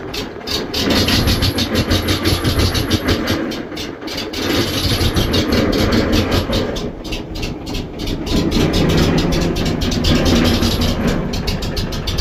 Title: Oil Field Compressor Rough Idle: What Could Be the Cause?